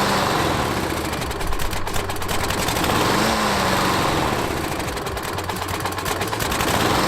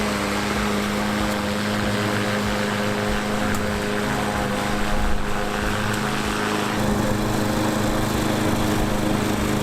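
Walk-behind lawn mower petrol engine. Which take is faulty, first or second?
first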